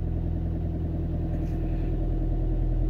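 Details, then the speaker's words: Ford Transit Connect diesel with an engine 'hunting' problem, worked on using an OBD reader: cold idle steady clatter, revving slightly high then easing down evenly with no hunting. "it's revving a bit high but then is it revving a bit High that's going down again now"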